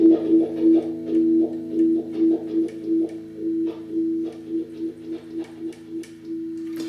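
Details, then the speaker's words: Scratchy wah pedal potentiometer heard before cleaning: a guitar note swept by the rocking wah, with faint crackles on each sweep from the dirty pot, which then gets contact cleaner. "So you can definitely hear the scratchy pot there. We got to get some contact cleaner in there to clean it out."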